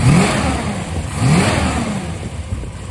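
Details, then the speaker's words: 1967 Dodge Charger with a rebuilt 383 big block on aluminum heads, base timing set to 16°, vacuum advance on manifold vacuum, carburetor metering plate swapped. Pulls strong and smooth with a deep, even exhaust beat and no misses: normal running. "it sounds like it's going to be pretty happy here"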